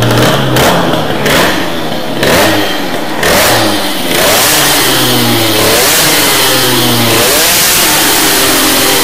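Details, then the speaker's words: Teknix T6 two-stroke with BOOST cylinder head, main jet lowered after running rich, sharp crisp revs climb and drop cleanly with throttle blips; it sounds much better, healthy and responsive. "Déjà, je vous le dis, ça pète mieux. Ça sonne mieux déjà. Ça sonne déjà beaucoup mieux."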